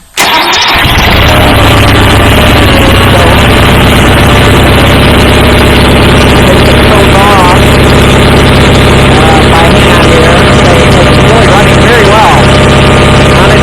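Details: Sears GT18 tractor (approx. 1976–79) with an Onan 18 hp engine, started (about 52–54°F) on choke after a carburetor clean and rebuilt fuel pump, no starter fluid: catches within a second, then a steady, even idle; a healthy start.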